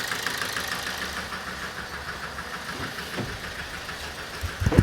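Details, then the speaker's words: 2007 Toyota Avensis D4-D diesel: rough idle with irregular sharp knocks, fewer when cylinder 4 is cut out, so injector 4 is judged over-fuelling and is to be replaced. "i think that's uh i think that's an overfueling injector there so the engine sounded better when that injector was off"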